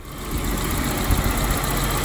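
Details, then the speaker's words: BMW E30 after fixing an idle problem caused by a vacuum (false air) leak at a valve hose connection: steady, even idle with a smooth low rumble and no hunting or stumbling. Idle speed is now good; running right. "as you hear it, it's running like this now and as you can see The idle speed is now good, his name is good, everything is good"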